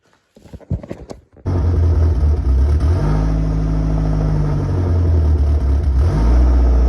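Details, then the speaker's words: Saab 900 Turbo petrol engine idling lumpily with its speed wandering up and down, before repair; the cause turned out to be crossed, mixed-up vacuum lines. "Um, I'll insert a clip of how it's idling right now and let's see if we can improve it."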